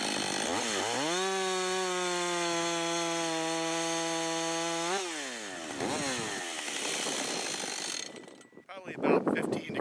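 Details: Husqvarna 562xp AutoTune saw, long unused, after its part-throttle self-tune, with cold gas and oil in cold conditions: revs to a steady high scream, holds four seconds, drops smoothly, then cuts; healthy.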